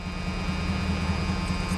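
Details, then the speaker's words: 1978 Oldsmobile Calais just after a cold start; lumpy, uneven low rumble, running horribly as if on about 7 cylinders; owner also hears distributor clicking; cause unconfirmed. "It's running horrible. Sounds like it's running on about 7 cylinders. Doesn't sound real healthy."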